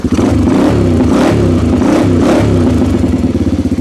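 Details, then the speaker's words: 1987 Honda 250X ATV single-cylinder, cold after sitting, choke off, after installing the camshaft and rocker arms: it revs cleanly and settles with only the normal light Honda valve tick. The earlier chatter is gone and it sounds normal. "That's the way she's supposed to sound. Absolutely. So really all I'm hearing is your normal Honda tick. And that's just normal."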